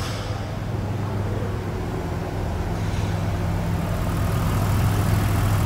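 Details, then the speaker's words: Mitsubishi Pajero Dakar V6 flex, 2012-13, after post-purchase service and timing belt replacement: deep, even V6 idle settling after a rev, steady low hum with no knocks or misses; smooth, normal idle. "Um motor V6 turrando é lindo, né? Você viu que turrada perfeita? Que maciez de funcionamento."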